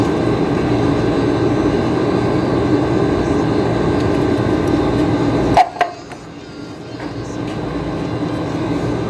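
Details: Air-conditioner compressor with hard starting, tried with 350 µF, 45 µF and 60 µF starting capacitors: steady low electrical hum with the motor never picking up speed, then cutting out; compressor has failed.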